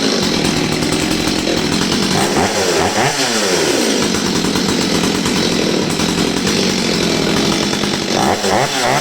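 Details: Old Stihl 023 chainsaw that sat about two years, after air filter refit, refuelling and carburetor screw adjustment: high, hard two-stroke scream rising and falling cleanly with full throttle, no bogging or stumbling, running healthy.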